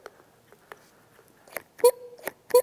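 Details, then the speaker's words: Yamaha T60 60 HP outboard, new replacement fuel pump worked by hand on the bench: sharp squeaky chirps with each stroke, about two clean pulses a second; the diaphragm works correctly, unlike the old cracked, leaking pump. "See how you can hear that one actually operating correctly?"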